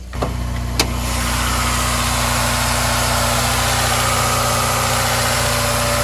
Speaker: Yeah, this thing sounds pretty smooth. Not bad.